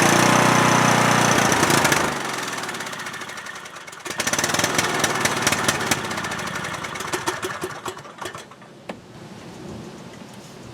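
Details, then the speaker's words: Cub Cadet lawn tractor, single-cylinder Kohler Courage engine, runs about 30 seconds then dies: runs loud, then falters and stalls within seconds; fuel starvation. "carburetor is a bit dirty and needs to be cleaned because the tractor will start and then sputter out I guess it could be a batch of bad gas but I don't know"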